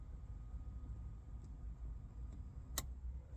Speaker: and another click and that will turn the water pump off